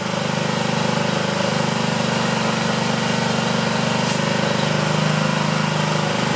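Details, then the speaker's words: 2009 Honda Metropolitan scooter held at high revs with carb cleaner sprayed into the air intake: fast buzzy engine, fairly steady with slight unevenness; running rough but improving, carburetor clog still suspected. "A little too much. That sure sounded like it was helping, didn't it? We're close, not quite there."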